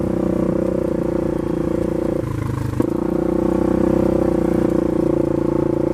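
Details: Polaris 570 ACE engine rebuilt after a dropped crank and rod caused a hard knock; new crank, valves, buckets, high-compression parts; steady, even note with smooth firing rhythm, no knocks or rattles, running healthy.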